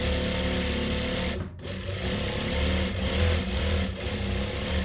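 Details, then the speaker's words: Noisy sewing machine after its loose parts were adjusted and tightened: steady, even whirr with a light regular stitching beat and brief pauses. Now smooth and normal running, still to be oiled. "Nah ini udah halus, tinggal pakai oli."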